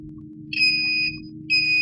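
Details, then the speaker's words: Samsung J2 Prime SM-G532G dead phone: a multimeter continuity test on the line to the CPU and a capacitor gives two steady high beeps, each about half a second, the same as ground. This indicates a short circuit; the CPU is suspected. "indikasi short konslet. Sama seperti di ground kan, seperti ini, ground."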